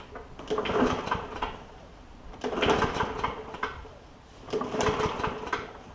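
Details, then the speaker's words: Bolens push mower, Briggs OHV engine, after valve adjustment for hard-to-pull starter rope, pulled without gas: three smooth even recoil pulls with no catch or hard spot, pulling much easier; flywheel key is the next suspect if recoil issues persist. "We're going to see if this doesn't have any gas in it, so we're going to see if it at least pulls a little bit easier here."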